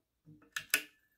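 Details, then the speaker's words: New WOTAN Dulux-S (Maxilux-S) 9W red G23 compact fluorescent lamp, made in Italy in October 1990, switch-on: a faint rustle, then two sharp ticks from the argon glow starter. Normal starter click and lamp ignition. "Le starter, c'est quoi le starter? Un starter à l'argon qu'on entend un petit peu. Donc ça, c'est cool."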